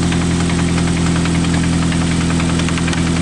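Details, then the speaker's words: Steady idle with a sharp metallic knock every few revolutions; sounds like connecting rod knock on the crankshaft, bottom-end knock suspected, to be checked by pulling coils one at a time. "hear that sounds like rod knock right there like the connecting rod is banging up definitely on the on the uh prank shot yep sounds like rod knock defin"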